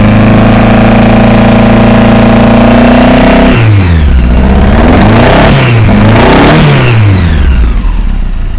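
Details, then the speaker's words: Hillman Imp 1040 race engine that began misfiring on a rally stage. Lumpy idle blips up and down with the throttle, pulses uneven and chuffy, mechanically quiet; running on three cylinders. "let's have a quick look cuz you fired it up for me and um we'll have a little listen to it and see if we can work out what's gone wrong it sounds mechanically quiet"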